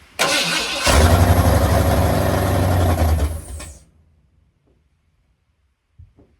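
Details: Mildly built 351 Windsor swapped into 1980 Ford F-150, carbureted, after oil change: starter churns steadily about four beats a second for three seconds, never catches; owner suspects fuel pump not working, crank no start.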